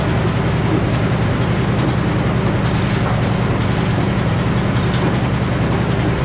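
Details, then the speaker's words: Old Frick sawmill driven by a 605 cubic inch engine, big blade turning: heavy engine drone with a coarse, irregular, loud metallic clatter over it; cause not yet found; metal-on-metal noise. "So that noise we all just heard sounded like metal on metal. That's clearly not right. Everyone here at the sawmill heard it. It was loud."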